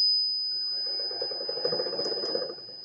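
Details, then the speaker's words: Motor driven by a frequency inverter with switching frequency set to 5: thin steady high whistle over quiet motor hum, no metallic rasp; slight noise considered normal. "nesse caso ele deu só uma assobiadinha assim né Não aquele ruído metálico"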